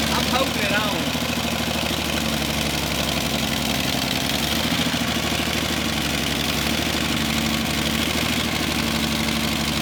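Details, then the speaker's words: 1966 Ford Mustang barn find after swapping the bad carburetor for a good used one, adjusting idle, choke and fuel mixture: steady, even, smooth low idle with no stumbling. Normal idle. "so our old carburetor was bad yeah new one's good and we're adjusting the basically the idle choke i don't choke so it's not revving up so much"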